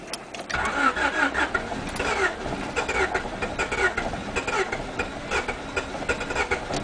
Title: teine käivitus, crank but no start